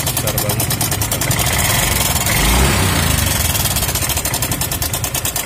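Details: Yamaha Mio M3 scooter idling with a fast, uneven metallic chatter like a sewing machine; slack cam chain from a weak tensioner, fixable cheaply.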